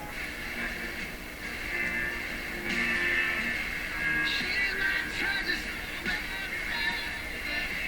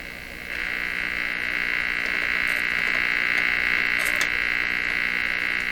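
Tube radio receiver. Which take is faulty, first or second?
second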